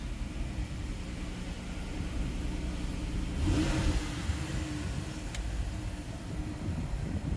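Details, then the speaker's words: Lincoln MKX V6 two days after a new timing chain kit: start-up, then a low, even rumble with one smooth rev and a clean return to idle, no rattle or ticking. It starts good with no engine lights. "Start it up. Starts good. Oh, hell yeah. No engine lights."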